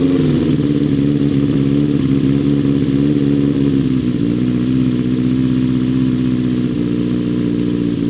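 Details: Motorbike's first start of spring after winter storage, cold engine on choke in neutral: steady even fast idle that dips slightly in pitch after a few seconds, firing cleanly with no faults.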